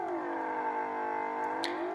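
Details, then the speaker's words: Vintage Radione WSH3 tube radio during repair, signal generator at 900 kHz, dial moved slightly off: steady whistling tone with overtones bending in pitch; oscillation from positive feedback, possibly needing tuning. "this is all coming from um positive feedback uh I need to check if this needs to be tuned a little bit"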